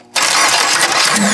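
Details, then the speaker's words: Demolition derby car, engine jump-started at the starter with a screwdriver and a booster pack, fuel pump switched on: it catches at once and settles into a loud, busy run without stumbling; fuel pressure is sufficient. "oh she still fires right up so I'm pretty happy about that actually to be honest I'm really happy about that my pump's got enough pressure to get this thing to run everything's going on pretty good I think"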